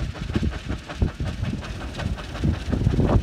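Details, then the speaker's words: Bergey 10 kW wind turbine on tower, blades at about 160 mph: heavy pulsing low rumble in uneven surges like a freight train; owner suspects loose corner of leading-edge tape on a blade, unconfirmed; rhythmic whooshing noise. "that noise is probably caused by a loose piece of tape you can believe that those blades are going 160 miles an hour a loose piece of tape sounds like a freight train"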